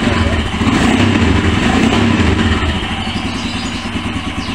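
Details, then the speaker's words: Royal Enfield motorcycle that would not start, after cleaning injector, fuel filter and fuel pump and checking relay, before oil change: steady, even single-cylinder idle thump, no misses or knocks; engine running cleanly. "ini yang penting sudah kita hidupkan dulu ya Yang penting motor ini sudah hidup"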